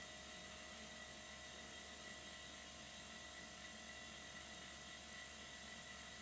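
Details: Silent-type workshop compressor supplying air to miniature steam engines: faint, steady hum with a soft high-pitched tone and no knocks or rattles; running as it should.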